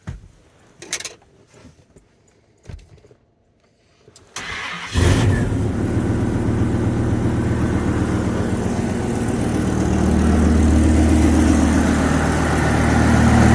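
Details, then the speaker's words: 1994 Dodge Ram 3500 dually, 8.0 liter 488 cubic inch V10, cold start: catches in about five seconds then steady idle with quick ticking puff; exhaust leak on one side, cause not yet known. "you know what I mean there's an exhaust leak over here I'm not sure what's causing it yet like I said I just drove it home last night parked it"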